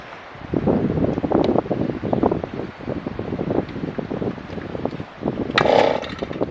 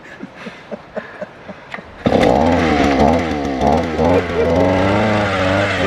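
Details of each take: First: Auger engine, which ran that morning, outdoors in wind: repeated quick recoil pulls, each rasping over without catching or running, so it won't start; cause unknown. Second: Small two-stroke auger, which ran that morning, started outdoors in wind: several light pulls, then it catches and revs up with a high, wavering buzz; it starts and runs normally.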